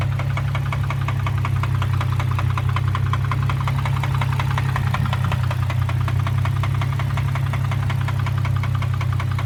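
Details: 2003 Infiniti G35 sedan petrol V6 idling with a loud, fast steady knock over a deep rumble; cause unknown, owner considering an engine swap.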